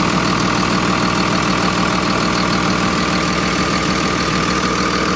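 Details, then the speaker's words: 24-valve Cummins diesel in a Freightliner MT45 step van with Allison transmission, bought listed as a non-runner, idling with the engine cover off: loud, even clatter about three a second with a steady low rumble and no misses; a healthy idle with no leaks found. "That sounds like a solid Cummins, baby. Listen how good that thing purrs."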